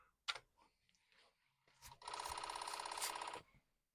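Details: Commodore 64 1541 floppy drive running a performance test after swapping drive mechanism: a couple of soft clicks, then a rapid, even rattle for about 1.5 seconds; normal head seek, the head steps properly.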